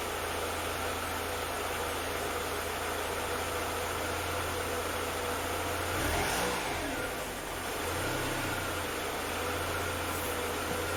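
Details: Mercedes W201 190E 2.0 petrol, over 30 years old, after fuel pump replacement: the engine catches and settles into a smooth, even idle with one brief rev, a faint steady pump hum underneath; runs fine.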